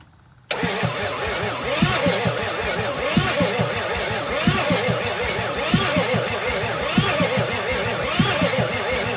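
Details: 1986 Ford F350 6.9L diesel from Texas, new fuel filter with injector lines cracked to bleed: starter churns at a slow, uneven rhythm for several seconds without firing; cranks but won't start.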